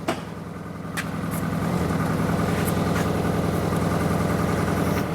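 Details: Car suspected of head gasket failure, cranked after a visual check that everything was plugged in, catches into an uneven, lumpy hunting idle, not running on all four cylinders; rough idle, misfire, cause unconfirmed.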